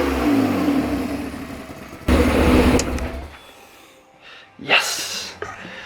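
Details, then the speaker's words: M50B20-powered T18 Corolla drift build just after its new exhaust (two-to-one pipe and side pipe) was fitted: two sharp blips with a crisp, deep rasp that drop back cleanly before shut-off. Normal rev. "is man sounds so good"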